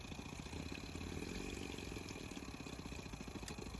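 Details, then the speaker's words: Mk1 Audi TT auxiliary electric coolant pump, suspected of leaking coolant, running after shutdown following 5 minutes' engine running; steady rough hum with rattly pulsing undertone, pump sounds worn and dying. "Yeah, it sounds like it's dying actually. It did sound better until I pulled out the phone."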